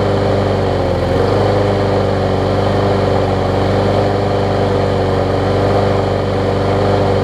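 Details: Bolens mulching mower trade-in, air filter off, running on starter fluid; thin, low-powered steady hum with no pickup, barely running. The engine shroud showed neglect and signs something had been living inside.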